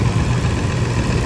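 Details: Toyota Land Cruiser with push-button start and a no-crank, no-start fault, no codes, started externally by feeding the starter directly with the relay removed: low, even idle rumble with a steady beat, no misses or knocks. Engine runs healthy.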